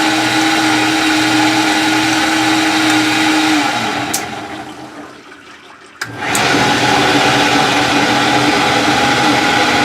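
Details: Maytag WU482 dishwasher, after fitting new lubricated belt on cleaned pulleys: steady whirring hum with wash-pump tone, winds down near four seconds then restarts smoothly; running normally.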